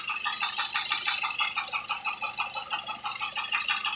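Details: 2004 Mazda 3 2.0L engine: a steady, quick knocking rattle, about three a second, that sounds like rod knock but comes from the intake tumble flaps (VCTS).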